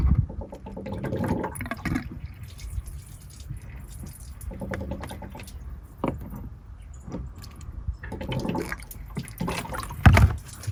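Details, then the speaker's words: Broken-down RV at roadside, engine started after refilling water: irregular splashing and dripping of coolant beneath the engine, no mechanical noise; upper radiator hose has come right off, expected easy fix. "It appears that, let me see here, it appears that my rad hose just came right off."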